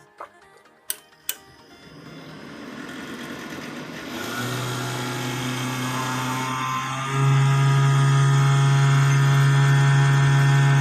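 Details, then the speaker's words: Desktop PC at power-on: a few clicks, then a hum that steps up and settles into a steady drone; the noise comes from the worn case cooling fans, not the new CPU cooler with freshly replaced thermal paste. "então no meu caso aqui é a fã que refrigera aqui o gabinete né"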